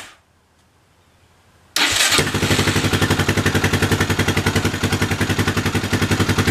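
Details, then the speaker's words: Yamaha 660 single-cylinder on new carb with old jets swapped in, cold start; fast uneven thump around 220 a minute with ragged stumbles, running lean; owner suspects it is still not jetted properly. "So, I have a feeling it's just not quite jetted properly all the way."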